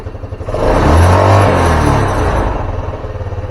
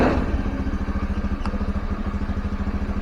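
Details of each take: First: Carbureted Honda Scoopy scooter that stalls when easing off throttle before turns: revs rise and fall to a lumpy, faltering idle; fuel comes out when vacuum line sucked, vacuum fuel tap suspected leaking, to be replaced. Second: Honda Scoopy carbureted scooter that stalled when throttle was released, after valve clearance adjustment and carb work: brief throttle blip, then revs drop back to a steady idle with no stumble or stall.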